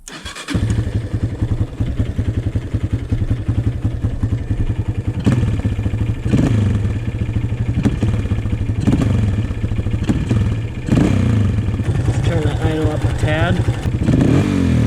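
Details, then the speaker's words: 2003 Honda CRF230F single, hot engine, fuel screw turned one whole turn richer to tune out bog: idles fine but each throttle blip sounds flat and slow to pick up before revs climb; still boggy carburetor response. Cause suspected, not confirmed. "Still boggy. Let's try going half a turn instead of two and a half."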